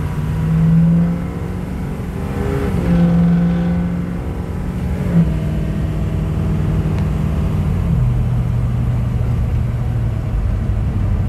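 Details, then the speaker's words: 2006 Ford F-350 King Ranch 4WD, 6.0L Powerstroke diesel with straight pipe, accelerating onto highway: deep throaty rumble climbing smoothly with crisp exhaust rap, no knocks or misses; normal diesel exhaust under acceleration. "pipes are always great on six so's they rap out a little i think they one of the better sounding trucks"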